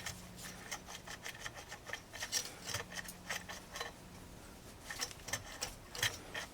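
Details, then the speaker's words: Stihl 026 chainsaw being rebuilt for low compression, not running: quiet dry scraping rasps with each slow hand turn as the flywheel rubs the ignition coil. The coil needs gapping; it was probably not adjusted properly. "well no actually it is hitting yeah I need to Gap that cool so let's go ahead and do that while we got everything apart"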